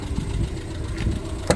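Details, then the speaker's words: 1994 Renault Twingo 1 Phase 1 petrol engine at idle after annual service (oil, air filter, air-intake clamp): low, even, steady rumble with no knocks or misses; idle slightly too high, to be turned down. Normal idle. "c'est un rêve. Elle tourne comme une horloge. Elle a plus ses petits sous-bressaux. Elle est vraiment calé."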